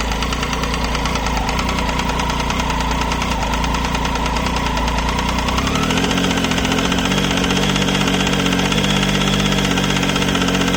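Steady light ticking runs with the idle at roughly three per second, staying even as revs settle slightly; source not pinned down.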